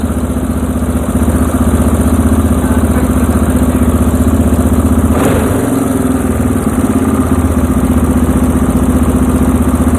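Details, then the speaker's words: Restored Yamaha Moto 4 ATV, single-cylinder, after further carburetor mixture screw adjustment in half turns: steady, even idle, smooth low thrum, no misses; heading the right direction before a quarter turn to richen it. "So far so good. So we're heading the right direction. So I'm going to go a quarter turn now since it's running really nice"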